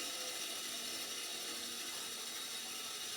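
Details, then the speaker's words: Curbside-found Sears compact table saw, blade height crank raising the blade: dry, uneven ratcheting clicks about two a second; mechanism works but is a little bindy, needing cleanup and lube. "I'm playing with the height now. So, it's actually getting higher."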